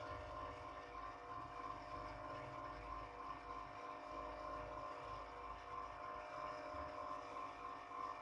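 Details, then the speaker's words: Old National 125 water pump motor, about 27 years old, after rewinding its burnt coil: quiet steady hum with clean constant pitch, no grinding or rattle; rotation now strong; normal running after rewind. "Nah, coba sekarang kita tes. Sudah kedengar ya suaranya putarannya."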